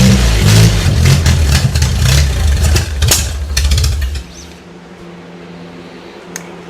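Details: 1957 Willys Forward Control FC-150 old four-cylinder after rebuild work: catches, revs hard and slightly unevenly, then drops to a low idle; running functioning motor, with a hole in the exhaust noted.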